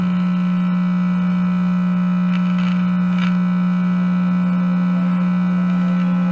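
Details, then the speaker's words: 1952 Mitchell clock radio Model 1267, tube set powered through a variac with the volume fully down: loud, dead-steady low AC hum from bad filter capacitors. "you can turn the volume all the way down and you hear that hum that is ac hum which means the filter cap is bad"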